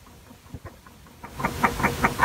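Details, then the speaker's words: 1984 AR (Acoustic Research) turntable Hurst motor, running without belt: light regular clicks about five a second over faint motor hum; motor bearing clicking, dry dirty bearing serviced by spraying out with electrical parts cleaner and oiling. "sound isn't so noticeable right now but there's a definite click in the motor"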